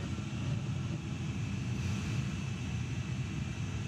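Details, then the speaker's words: Home gas boiler with delayed ignition and backfires, during a gas pressure test; heavy steady low roar from the burner, fuller and harder than it should be; over-firing because gas pressure is set too high. "it's over firing a little bit no reason for it to be this high on the out Imperius where it goes when the water-use on"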